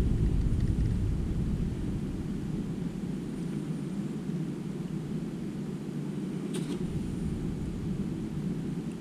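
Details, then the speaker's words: Bicycle disc brake wheel after realigning the caliper to the rotor spins with a low smooth whoosh that fades out, with no scraping or rub, so it now turns freely. "here we go testing in nothing that's perfect the wheel is moving freely along"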